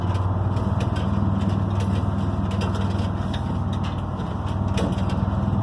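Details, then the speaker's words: 74-year-old Greyhound bus on a road test: dense, loose rattling over a low engine drone while driving, as the whole window frame buzzes in its opening. It is a window frame rattle. "The whole window frame rattles."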